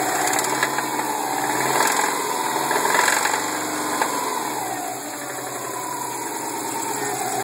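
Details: 2002 Subaru WRX with a spun bearing at idle: loose, uneven rod knock about four times a second over a wavering whine.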